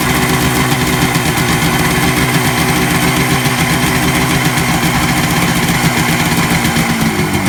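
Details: 1967 Kawasaki A1 250 two-stroke, freshly tuned, started on a little choke: crisp, even idle with a steady beat and no misses, rattles or hunting; healthy engine.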